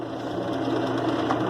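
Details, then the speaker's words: Whirlpool direct-drive washer 7MLSQ8545PT0 after replacing the motor and capacitor and rejoining the red and orange wires to cure a humming no-start; even mid-pitched motor whir spinning up steadily on spin cycle, no hum or grinding; normal spin. "Ya le puse en modo Sprint negro voy a poner Spin Wow funcionó funcionó maravilla esta lavadora"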